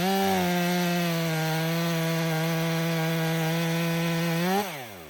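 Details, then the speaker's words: Stihl MS 500i chainsaw (62 hours, long idle on stale fuel), warm after calibration and fuel purge, cutting frozen wood with freshly sharpened chain: strong steady high-pitched scream held while cutting, clean drop off throttle. Normal running under load after fuel pump fix. "That saw didn't give me one hiccup outside this time. It runs excellent."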